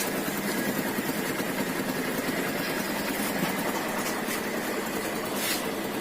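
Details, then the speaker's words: TVS Star City Plus, just started, won't take throttle: rough, uneven putter with irregular beats and no clean pickup despite a new original Bosch spark plug; spark/current problem suspected, not confirmed; engine won't rev. "Problem क्या है friends, जैसे ही हम इस bike को start करते हैं तो ये बाइक एक्सीलेटर नहीं लेती।"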